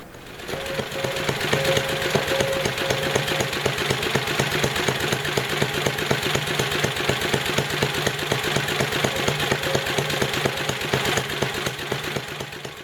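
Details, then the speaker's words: Tecumseh HM80 8 hp single-cylinder engine after carburetor tuning, idle set as low as it will run as an experiment. Too low to build oil pressure. Slow, uneven chugging, barely running: excessively low idle speed. "now this is about as low of an idle as I can get out of the engine and have it still run I wouldn't run the engine this low it doesn't it isn't able to build oil pressure"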